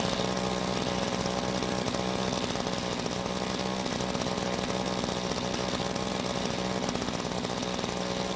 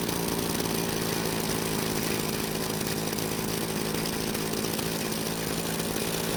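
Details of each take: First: Rare vintage Green Machine string trimmer: steady high-pitched two-stroke buzz at even revs, engine running cleanly, but head not spinning; possible stuck clutch, damaged drive shaft, bad gearbox or shaft coupling. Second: Green Machine trimmer: fast steady buzz instead of slow idle, trimmer head keeps spinning; idle set too high, confirmed once turned down.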